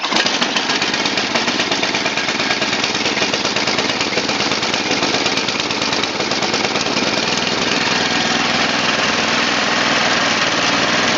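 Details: Murray Select 29-inch snowblower with 11 hp Tecumseh Snowking single-cylinder engine and black tar-like oil, cold start at about 0 to -2°C: a fast, even putter around three beats a second that settles without stumbling; runs healthy.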